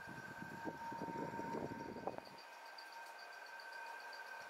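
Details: Condenser fan motor (air conditioning/refrigeration) with a failing ball bearing: a steady high metallic squeal with a scraping rattle underneath. Such bearing noise is louder when cold and quieter once the motor warms and tolerances expand.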